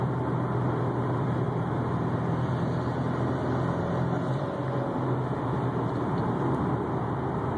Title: 2004 STI whining humming sound